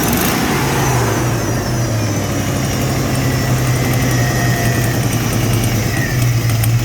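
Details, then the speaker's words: Supercharged 1991 Ford Mustang 5.0 L LX V8 at the tailpipe: loud choppy exhaust with an uneven stumbling beat, suspected misfire plus exhaust leak, with moisture coming from the tailpipe; suspected internal engine trouble. "estly man it sounds like a misfire in an exhaust leak you might not have much wrong with it"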